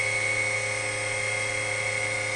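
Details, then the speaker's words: WWII-era RT-7/APN-1 radar altimeter switched on in the lab: the dynamotor supplying high voltage gives a steady, even high whine over a low hum as current jumps, then settles to about 2.5 amps. Normal dynamotor whine. "You'll hear a whine from the dynamotor."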